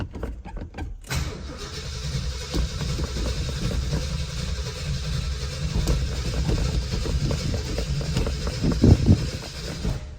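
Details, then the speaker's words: 1968 Ford F250 with a rebuilt hopped-up 390 V8, 57,000 miles, long tube headers, true dual exhaust, sat over a year and a half; battery showing about 13 amps. Starter turns it steadily about nine seconds with no firing; choke cable works. Cranks, no start. "not even firing this is the choke cable it does work does she want to be choked"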